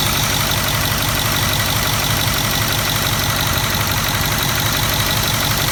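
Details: 2008 Ford 6.4L Powerstroke diesel idling with the valve cover off, started by remote start without glow plugs connected: loud clatter with a quick, steady tapping near three per second; origin unknown.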